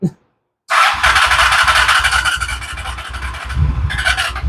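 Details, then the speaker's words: Honda Shadow Spirit VT750 with new Chinese carburetors, after a month-and-a-half project: clutch in, long cranking to fill the empty carbs, starter whirs with even compression thumps about three per second and never catches; owner fears the battery may die first. "It's probably going to take a minute to get gas to it. So let's see what happens. Battery might die before we even get gas to it."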